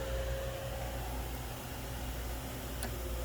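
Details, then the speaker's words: 2012 Hyundai Santa Fe V6 radiator cooling fan run at low speed by manually bridging the two pins of the low-speed relay socket; steady, even low hum with faint whir, no rattle or scrape, normal low-speed fan operation. "If I do this myself, it will result in the fan coming on and turning at a low speed. So now I can hear the fan running, and you can actually see it's in motion now."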